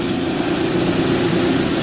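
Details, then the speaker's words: Bryant/Carrier rooftop package unit with the thermostat bypassed into cool mode: a heavy, vibrating, lawnmower-like droning roar with a buzzy hum and occasional knocking. Heavy belt dust was found. "Let's let it run, see if it gets worse. I can hear a knocking every once in a while."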